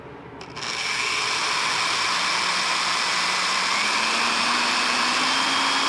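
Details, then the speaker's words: Found-in-junk-pile die-cast metal Porter-Cable 3/8" electric drill, grounded 3-prong cord, first start: motor spins up to a steady, even whine rising slightly with the trigger, no grinding; good variable speed, occasional start-up clicking, owner suspects loose crud; normal running. "Very good variable speed control. I'll put it in reverse. It makes kind of a clicking sound when it first starts."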